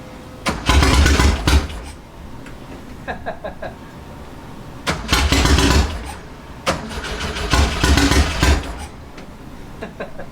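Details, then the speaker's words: 1967 Volkswagen Fastback flat-four after fitting a fourth ignition: several cranking bursts that catch and fire with brief revs between pauses; now starts and runs, the failed ignition was the problem. "oh we got some life there we go that was the problem"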